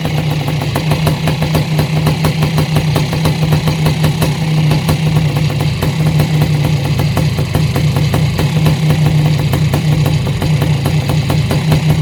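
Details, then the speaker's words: Yamaha YZ490 air-cooled two-stroke, first start after installing missing kickstart idle gear and clutch parts so it runs the right direction: even, crackly, noisy idle, steady with no misfires or knocking; possibly slightly rich, burning excess assembly oil. "sounds good all right sounds good man these uh these air cooled motors are sure noisy though listen to the top end of that thing it sounds like dynamite like it's gonna explode"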